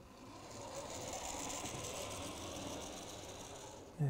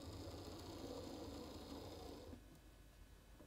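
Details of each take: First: About 40-year-old Hornby Class 43 HST model loco, Ringfield motor replaced with a new motor, running at roughly 70 mph scale speed with the headlight on: soft, even whirr and light gear buzz, no stalls or grinding. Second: Hornby class 43 HST model locomotive with old motor, on track with power turned past halfway: faint buzzing hum with uneven pulsing speed, then drops away; jerky running of worn motor, reverse unpredictable.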